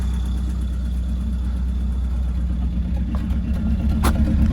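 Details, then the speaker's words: Citroen AX 1.0 petrol engine idling after refuelling with fresh fuel, smoking much less than before: steady low rumble with an even beat around three per second, no misfire stumble or tapping; smooth normal idle. "he's loving the fresh fuel one and a half cans each it's been a while since we've ordered this thing they're sounding beautiful"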